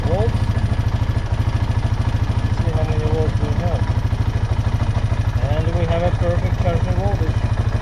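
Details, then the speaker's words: 2009 Honda Rubicon TRX500 (Foreman) ATV with battery draining overnight, started in neutral on freshly charged old battery: even single-cylinder idle with regular low thumps, no misses or knocks; engine normal, battery later found bulged and leaking. "batteries fully charged let's start the engine and the key to the on position and neutral and crank it there we go"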